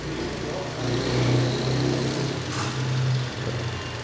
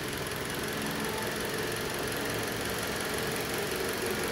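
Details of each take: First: 2010 Toyota Corolla petrol engine after installing new ignition coils for a cylinder misfire; steady even idle hum, no stumble, no fault codes, uniform burn lines across all cylinders. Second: 2010 Toyota Corolla petrol engine idling with uneven lumpy beat from one cylinder misfiring, no fault codes stored, check light off.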